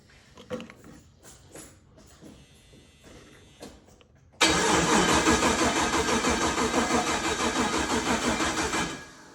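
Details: Turbo LS-swapped G-body Malibu on its first start attempt: steady rhythmic cranking about three beats a second for five seconds, never catching. Starter worked before; a grounding problem through the aluminum intake is suspected, not confirmed.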